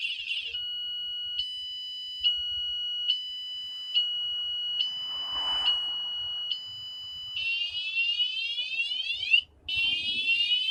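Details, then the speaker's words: wsdcam 113dB vibration alarm on an e-bike, moved repeatedly after warning chirps; loud shrill pulsing about once a second then fast sweeping wail, audible around the neighborhood, lasting about 30 seconds once undisturbed. Alarm fully triggered. "I can hear this all around the neighborhood too so it's it's Extremely Loud went on for about 30 seconds"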